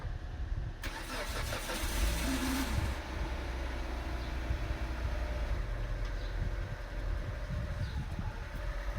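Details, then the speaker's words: 2003 Mitsubishi Lancer ES with a new battery: quick crank, clean catch, then a steady, even low idle with no misses or knocks; normal start and idle. "seems to be working pretty well actually."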